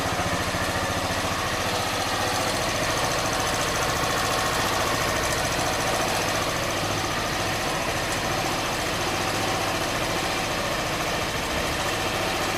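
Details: Honda Bros 160 single-cylinder steady idle with a loose, regular knock at about three per second; it has been to warranty 4 times and the noise persists, source not pinned down.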